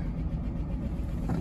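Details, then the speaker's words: Old Chevy truck V8 jump-started from a Ranger's battery after sitting, with dry-rotted fuel lines: it fires right up and settles into a steady, even idle with slight lifter tick that should go away; normal idle after start. "Fired right up. Wow. A little lifter tech, but as I remember, it goes away."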